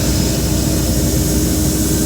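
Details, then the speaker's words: Jinko Solar air compressor and dryer, as the instrument-air valve is slowly closed before shutdown: an even compressor drone with a low hum and air hiss. Normal unloading. "when you gotta turn it off you're gonna slowly close this valve you'll hear it unload"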